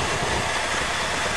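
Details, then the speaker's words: Chevy V8 after cold winter start, idle after 7-8 months sitting, choke seems to stick a little: steady, even idle with smooth low burble, no knocks or misses; normal idle. "yeah the bumper is falling off looks like the choke sticks a little but good enough"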